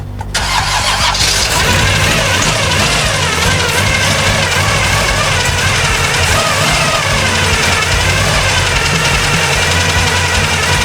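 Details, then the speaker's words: 1974 Chevy Nova that sat for years, carb primed by hand: it catches after cranking into a loud, uneven, sputtering run. Super old gas is in the float bowls and the fuel filter is reddish and mucky; the plan is to burn it out or clean the carb. "The gas in those float bowls is super old, but we got it running, so we're gonna try to burn it out."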